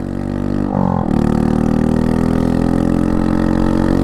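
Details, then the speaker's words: Honda Monkey 125 with a snapped Tenshi exhaust held on by one bolt, idling in rain: a loud, blatty, deep idle with a hollow chuffing drone and no muffling. The exhaust is blowing at the joint. "that's loud that's really loud and now that the exhaust has been held on by one Bolt"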